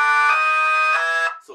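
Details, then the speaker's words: Jensen V21 Leslie upper horn driver on a 122 amplifier, fed by a 1963 Hammond B3, has raspy buzz on lower notes, clearing somewhat higher up; diaphragm out of position, to be reset. "buzzing and when it gets on up into the higher note it starts clearing up there's still a little buzzing but you hear the buzzing here"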